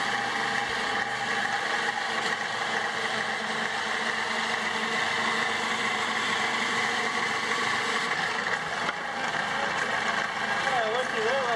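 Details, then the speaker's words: Homemade bandsaw built from a scrapped portable lumber-mill saw, new thick-walled bearing, running on a small battery: steady, smooth whir of even pitch, no knocking or grinding; normal running. "of course this runs on a much higher voltage than that little battery so it'll have a lot more power but even on that man that thing runs great man that is sounding way better than I've ever heard of"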